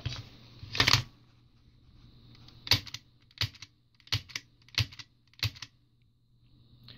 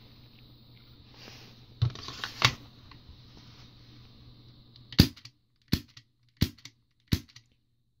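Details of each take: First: Tokyo Marui magazine with NineBall High Bullet (high-flow) valve on high-pressure gas, knocker struck: sharp dry metallic clicks every half second, no gas hiss; valve cannot be depressed against magazine gas pressure, so it fails to open. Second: Tokyo Marui gas pistol magazine with stock flow valve, struck by lower-frame knocker on high-pressure gas: four sharp strikes about a second apart, each with a brief gas pop as gas leaves the gasket; valve opens normally.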